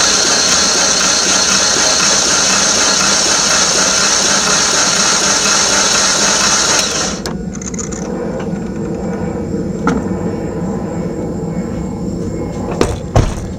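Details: Engine cranked with key to pump oil through everything, fuel rail not yet purged: starter spins evenly about seven seconds, no binding or clunks; normal cranking.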